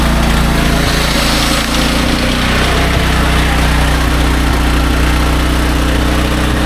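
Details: Restored SDMO 5000W generator with a Briggs & Stratton engine (about 18 hp), low on fuel and sitting on an angle, under a 6 hp vacuum and 1500 W heater (about 15–20 A expected): a steady, even drone with no surging, misfire or knocking. It runs healthy.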